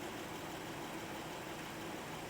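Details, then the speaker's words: High-mileage Honda Pilot approaching half a million miles at idle: quiet, even, soft steady hum with no ticks, knocks or misses; belt in good condition, no smoke or steam; engine running healthy. "Hardly any noise. This thing is so quiet."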